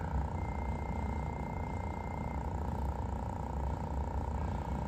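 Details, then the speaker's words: Honda V45 Magna fuel pump running during pressure test, faint steady high whine over a low hum, maxing just under 11 psi (about 10–12 expected), flow 6.6% under spec; normal fuel pump. "Usually fuel pumps run at about 12 psi. Anywhere from 10 to 12 I think is usually pretty good. This one's maxing out at just under 11."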